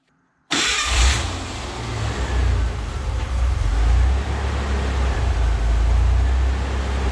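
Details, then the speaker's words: Ford Bronco II 2.9 V6: engine catches then hunts unevenly, drone swelling and sagging every second or two, idling around 850 rpm with hiccups; rough idle, owner suspects failing fuel pump, battery terminals cleaned, cause unconfirmed. "but it's idling around 850 maybe a little bit High U which is where the manual says it should be um that weird little hiccup it just did"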